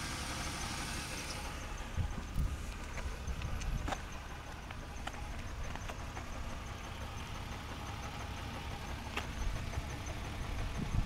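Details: BMW E36 328i at idle with an OBDII code, also hesitating under power: low, uneven idle with loping stumbles and irregular thumps; misfire, suspected causes low fuel pressure or faulty O2 sensors, not confirmed.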